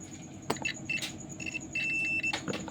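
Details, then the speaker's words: Rice cooker (magic com) thermostat tested with a multimeter continuity beeper after heating with a soldering iron; as it cools, a steady high beep holds about half a second as contacts reconnect. Continuity restored, thermostat working. "Nanti pada saat dia dingin maka ini akan bunyi ya. Ini teman-teman ya, ini masih terputus karena masih itu sudah mulai lagi terhubung ya."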